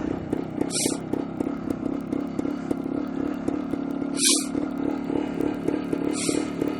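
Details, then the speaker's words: 1973 Suzuki TS250K Savage two-stroke on first ride before restoration, idling: fast, light uneven clicking about four a second over the putter, attributed to the tachometer; cause otherwise unclear. "I don't know if you can hear that, but the tachometer is going click, click, click, click, click, click, click."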